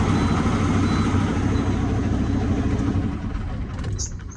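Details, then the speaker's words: 2018 International Prostar with Cummins diesel, previously no crank no start from a loose battery connection: after tightening the battery terminals it starts right up and settles into an even, deep idle clatter; clean, healthy start. "Now, I'm moment of truth. starts right up."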